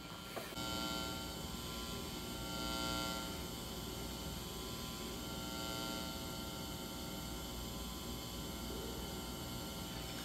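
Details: Marshall JCM800 Lead Series amp after power-supply repair, hum balance pot set to minimum: quiet steady low buzz with faint fixed tones, no crackle or surging; normal residual mains hum.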